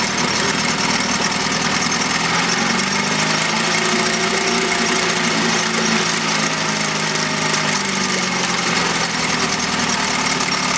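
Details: 1971 Mercury outboard (listed as 7.5, also called 72 horse) revived after coil work; cover on, even buzzy idle at constant speed, no surging; runs like a dream.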